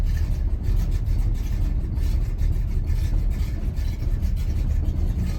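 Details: 1986 Chevrolet C10 idling while still cold: low, loose idle with an uneven, shaky pulse and no steady beat; rough cold-start idle.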